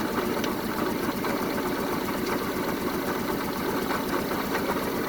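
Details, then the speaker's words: 1974 Honda Civic (series 1, Mk1) test-run after the plug leads were refitted; a rough, uneven idle with a stumbling beat and irregular ticking, misfire persisting, and the owner plans a compression check, cause not yet found. "Well, it's running, but it's not running at its best. Let me check. It's running, but not the best right now,"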